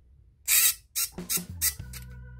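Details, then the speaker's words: Shimano Di2 front derailleur (FD-RX815/R8050/R9150 type) with rusted, seized linkage; servo motor whirs steadily after a few hissy bursts but the cage does not move or shift. "this what happens so uh the unit doesn't shift"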